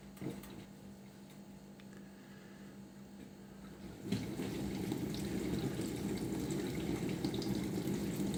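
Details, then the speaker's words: Bosch SMV50E10RU/D5 Type SD6P1B dishwasher, brought in for humming and not starting, short-program test before repair: pump slows, water tops up, then pressure rises with louder spraying rush, running steadily, no errors; normal wash cycle. "убирает обороты доливает вода параллельно доливается увеличивается давление все равно входит в режим давление неплохое Ну по крайней мере ошибок никаких наблюдаем"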